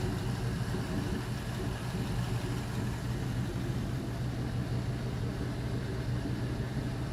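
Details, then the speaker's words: LM7 5.3L iron-block V8, 862 heads, 151k miles: idle at 153°F coolant, MAP 31 kPa, O2 sensors switching, low fuel trims; smooth steady even exhaust beat, no knocks, ticks or hunting; normal idle. "See, O2 sensors are switching. Still idling nice."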